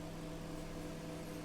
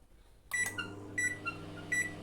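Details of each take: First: BGH microwave heating a cup of water, its fault an open high-voltage diode: an even low mains hum with a steady fan whir and no buzzing; it now heats normally. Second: BGH microwave running after its open high-voltage diode was replaced with an R600: steady hum after a few beeps, with a faint thin whistle on top, which the technician attributes to the turntable motor.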